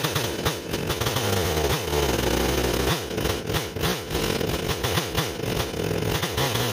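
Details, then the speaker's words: Stihl 028 chainsaw at running temperature after a hard restart; ragged revving rises and falls several times a second; owner suspects an air leak detectable only when warm, despite new crankshaft seals. "He's acting up still. Got an air leak. The way it's changing so much, these 028s, they get air leaks that you can only detect at running temperature."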